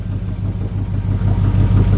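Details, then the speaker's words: LS1 V8 with cross-ram/side-draft injection and retuned stock PCM, first run on run stand, no throttle cable fitted: lumpy uneven idle surging and dipping, shaking the stand; owner suspects a fueling or ignition problem on bank one. "is running a bit rough you can see it's shaking the run stand"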